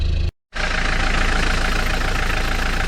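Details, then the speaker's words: 29-year-old 1994 Mitsubishi Delica L400 diesel, cold start: catches after a brief pause, settles to a steady, even idle clatter while warming; no misfiring, no smoke, burning clean, almost zero blow-by. "the engine is idling and inside the good cold idols diesel is warming up no misfiring yeah it doesn't smoke engine is burning clean it's really nice"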